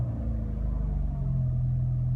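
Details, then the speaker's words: Peugeot 206 at idle, AC off, before topping up power steering fluid: steady low hum over a smooth idle, pump groaning because fluid was below minimum; the noise was gone after filling. "Oil was below minimum so..i don´t know I'm interested in what feeling will be now with... steering wheel, when is oil now in ok, sound is gone"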